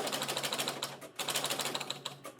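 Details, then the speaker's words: Electromechanical pinball machine, score reels on players 1–3 manually advanced with power off, game started to find which reel switches need cleaning; fast even clatter of reels stepping round, pause, more rapid clicking; reels reset normally. "it's resetting all those. So it's a good possibility those are not the right ones."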